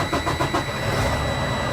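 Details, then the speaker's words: Freightliner Cascadia DD15 diesel after oil change and fuel filter service, fuel system primed, in neutral: turns over briefly and catches straight away, settling into even idle; clean healthy start, oil pressure should jump up. "you go nice start oil pressure should jump up"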